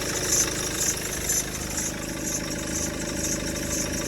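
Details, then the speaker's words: Maxus V90 van, diesel, broke down smoking with oil everywhere: steady even diesel clatter at idle, no knock or misfire; earlier noise was only oil on the belt, engine running healthy. "that's all that noise was was the belt had a bit oil on it other than that she's running beautiful"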